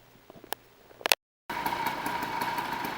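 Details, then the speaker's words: 49cc two-stroke motorized bicycle kit, freshly completed first start on break-in oil mix, smoking a lot: after handling clicks, small engine buzzes steadily at high pitch with light even crackle; normal running. "Alright, I don't know if you can hear me really, but there's the finished gas bike, and it is running. It smokes a lot now because I've got the break-in oil mixture"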